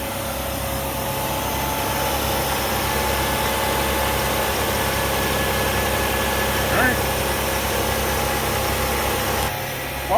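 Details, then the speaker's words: Engine started after replacing a worn tensioner that had lost tension, done to cure clatter: steady even idle hum with no clatter or ticking; noise gone. "so that's all set let's start it up and make sure the noise is gone"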